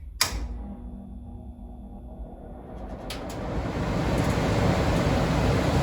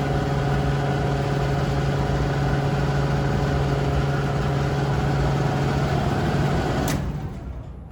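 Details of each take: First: About 50-year-old Sears gas furnace after blower motor replacement, test run via panel switch: click at switch-on, then smooth steady motor whir, no rubbing; much quieter than the old noisy motor; normal blower run. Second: Sears gas furnace, about 50 years old, whose blower used to run quietly, roars with a loud, steady hum and buzz, then cuts off and winds down; noisy failing blower motor before replacement.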